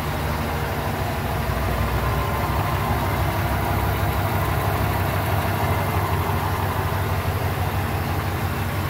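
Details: 2006 Ford E-series van (listed as both E350 and E250) idling after its knocking right-hand catalytic converter was replaced: a smooth, even low rumble with no knock or rattle, and the engine and exhaust sound healthy.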